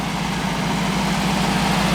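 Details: VW bus air-cooled flat-four idling in the garage after sitting a long time: a steady, even low putter with a smooth pulse and no knocks or misses. It sounds good, a clean idle.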